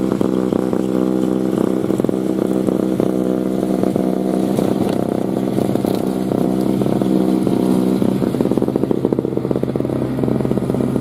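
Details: 2003 Murray single-stage two-stroke snowblower, unrun 5 years, revved while clearing snow: busy high-pitched buzz holding steady with a slight crackle, no misfire or hunting. Healthy engine under load.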